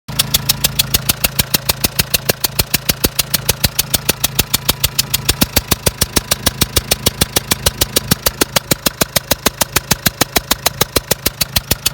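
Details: Renault Trafic 1.9 diesel: a sharp, even metallic knock at about 200 a minute over the idle; pulling power is unchanged, but a strong burnt-oil smell blows from the left side when accelerating; cause of the engine knock is not yet known.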